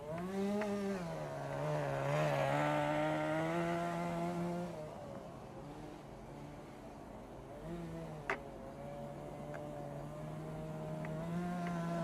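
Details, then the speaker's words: 1988 Kyosho Ford RS-200 RC car, OS Max 10 FP-B nitro engine, second startup after restoration with a newly made throttle servo arm. Slightly warm engine gives a high buzzing note rising and falling with throttle, and its tone shifts as the exhaust flap opens. Normal running. "and it sounds like we're ready to go with a little warmer and again if you listen really carefully you can hear the change in engine tone when the little exhaust flap opens"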